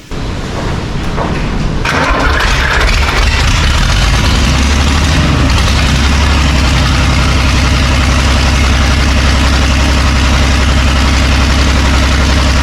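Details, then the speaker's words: John Deere 3130 tractor diesel, first start, with leaking brittle fuel leak-off pipes: it cranks, catches after about two seconds and settles into a steady, even, low idle. Timing sounds right; normal diesel idle. "Timing right, do you think? Sounds right."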